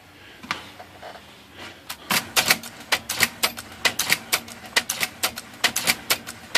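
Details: IBM Selectric typewriter after freeing sticky parts in the carriage return mechanism: crisp uneven clacks of typing and a clean carriage return with no hang-up; now working normally.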